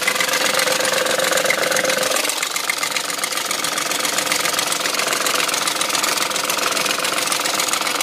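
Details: BMW M62 V8 at 510,472 km, idling with a busy metallic rattle about three to four beats a second over the engine; owner suspects worn timing chain guide rails.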